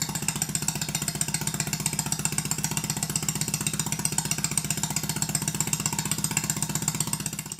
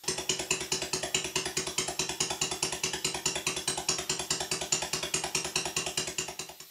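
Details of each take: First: Stuart Sirius model steam engine running on steam or compressed air after big-end bearing adjustment; crisp, evenly spaced exhaust beats about four per second, no stumbling. Valve timing correct, unlike the other engine, which is retarded (admission late); exhaust arrangement also affects sound. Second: Stuart Sirius steam engine running on compressed air at slow speed, after nipping up the big end bearings; slight remaining play between big end bearings and crank pins gives a crisp knock each stroke, clearer slow than fast; valve timing also slightly retarded.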